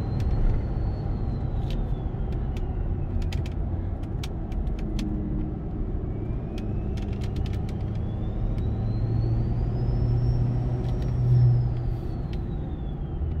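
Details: Ford 6.7 Powerstroke with MPD compound turbo kit, about a thousand miles on setup, heard inside cab, windows up, climbing a mountain under load: clean high whistle climbs and fades with throttle over steady diesel rumble; healthy compound turbo spool.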